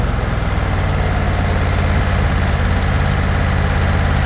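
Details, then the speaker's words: Cub Cadet Tank L48 zero-turn mower, Kohler 694 cc engine (owner thinks 24 hp), 206 hours, idled down after start: low, even putter with steady beat, no knocking, pinging or misses; runs super smooth, normal idle. "Runs super smooth, bring it back up."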